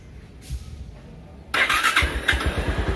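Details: Bajaj Pulsar motorcycle after servicing its dirty, heavy starter motor, which previously only clicked or did not respond: brief quiet crank, engine catches at once into an even, steady beat; clean start after repair.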